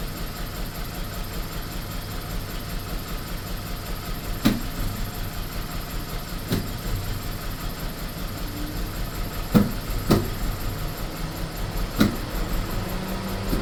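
Idle with uneven, irregular sharp pops every couple of seconds breaking the rhythm; the engine is stumbling and misfiring.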